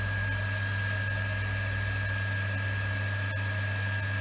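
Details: Workshop rainwater recycling pump on polystyrene stand after repair, running while toilets are flushed: steady low, very quiet hum with faint constant high whine, no rattle or surging; healthy.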